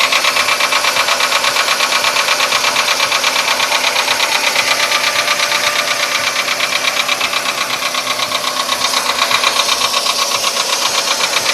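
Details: VW Polo Sedan engine at idle, now 67,000 km: sharp, regular metallic ticking about three per second; it appeared faintly around 61–62,000 km and has sharply intensified; the cause is undetermined.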